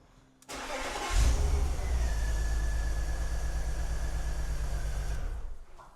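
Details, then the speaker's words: BMW E46 330Ci Clubsport, M54 engine, off the road 7 years, with brand-new coil packs: lumpy, uneven idle with irregular low thumps; unplugging cylinder 1 worsens the misfire, so the coil pack is likely not the cause, and a plug was found loose. "Undo number 1. Misfire is definitely worse, so it's most likely not going to be the coil pack."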